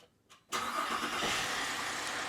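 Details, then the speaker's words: 2005 VZ Commodore V6 after a new starter was fitted and the battery reconnected, following a no-crank fault with a burnt solenoid: a click, then it cranks and catches at once into a steady idle; repair successful. "where goes try that again a few times I'd say that's a success there you go there's another one off the list"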